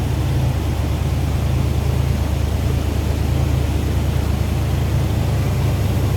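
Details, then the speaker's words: 1978 Chevrolet K20 Custom Deluxe 4x4 with believed-original miles on the odometer: deep, steady V8 rumble at idle with an even beat and no ticking or knocking. The engine is idling smoothly. "All right, let's go ahead and fire this up so you can hear it run."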